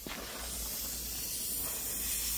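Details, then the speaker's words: 2015 Ford Mondeo AC system pressurized with nitrogen after UV dye injection: steady sharp hiss of gas escaping through holes in the condenser, no motor behind it; refrigerant leak at the condenser, condenser to be replaced. "Yeah, straight away we can see it's coming out the condenser."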